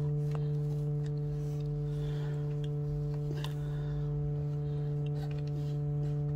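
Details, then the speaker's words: Sony ICF-SW series shortwave radio at full volume; steady low droning hum with a buzzy edge and no signal over it; bad SMD electrolytic capacitors in the audio, oscillator and power supply stages. "it has a hum it has humming noise this is the volume full so the capacitors are totally bad in the audio stage and also in the oscillator and the power supply stage"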